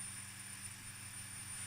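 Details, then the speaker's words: OMPHobby M2 helicopter main rotor spooled with blades on, tail motor disconnected because it is blown: a quiet, steady hum with a constant high whine, only a slight buzz, before full cyclic deflection. It spools smoothly and normally. "That seems smooth. Sounds smooth to me. I can feel a bit of a buzz, but not really."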